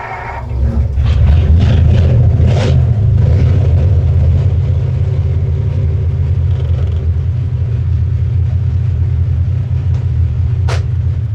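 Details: Ford flathead engine after Helicoil repair of a damaged spark plug thread: catches within a second and settles into deep steady rumble without misfires or ticking; runs normally.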